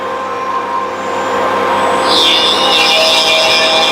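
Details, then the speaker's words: Mark 7 setup overhead routing a slot, quill tightened fully in place: loud steady high-pitched router whine rising as it bites into the cut, no rattle or chatter; vibration gone, normal running. "you can actually hear the difference in vibration when this is tight all the way away you want to make sure you do that"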